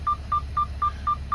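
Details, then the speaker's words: Semi truck cab, parked with parking brake on while sliding trailer tandems: short steady mid-pitched beeps about four a second over low cab hum, the seatbelt reminder with belt unbuckled. "I should, that's why you hear the beeping, but I'm not gonna put my seatbelt on while I'm sliding these tandems."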